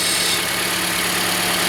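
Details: 2013 Toyota Corolla at 150,000 km, idling right after starting during a battery and alternator test (cranking voltage 10.88 V): steady, even idle hum with no misses, knocks or ticks; normal idle.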